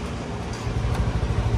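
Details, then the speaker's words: Honda BeAT Fi scooter idling right after a first DIY oil change, with fresh oil and kicked 2-3 times before starting. A low, even putter with steady pulses and no ticking, rattle or whine; the earlier noise is gone and there are no leaks. Normal idle. "Uy, tahimik na guys. Wala na yung ingay-ingay."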